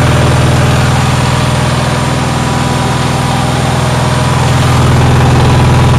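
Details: Onan generator, cold day: constant high-pitched beat holding steady, faster than a normal idle. The owner says it idles too high; cause unconfirmed.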